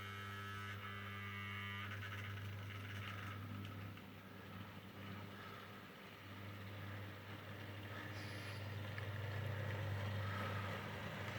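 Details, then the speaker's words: Mehano SD40 OO gauge model locomotive after service and repair (stuck motor brush freed, brushes cleaned) runs with a soft, steady low hum and no knocks or rattles, smooth and quiet, pulling a small rig of box fans. "very happy with it it's smooth it's quiet it's pulling a small rig of of um box fans"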